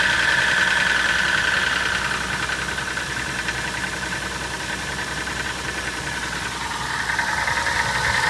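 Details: Toyota Soarer engine at cold idle: steady, even deep internal knock about three to four times a second; owner suspects big end bearings, unconfirmed.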